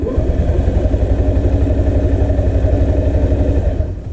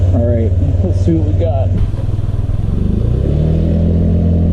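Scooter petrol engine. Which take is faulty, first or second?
first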